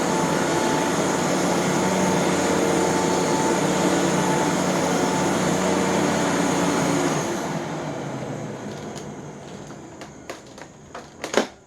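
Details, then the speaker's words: 1993 Rainbow D4C SE canister vacuum running after all its bearings were replaced. A smooth, even high-pitched whir with no rumble or grind, then a clean wind-down after switch-off: normal running, amazingly smooth and quiet. "I have never heard this particular machine sound as good as it does. So really happy that the bearings are all freshened up. So I'll be able to use this and enjoy just how amazingly smooth and quiet it is."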